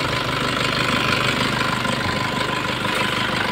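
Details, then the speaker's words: Nissan Patrol ZD30 diesel idling at normal temperature after about an hour, long unused and revived by adding oil: even idle with a light metallic rattle, mildly noisy timing chain, not severe. "Kasi nga matagal na hindi umandar to tapos yung timing chain medyo maingay na yung timing chain"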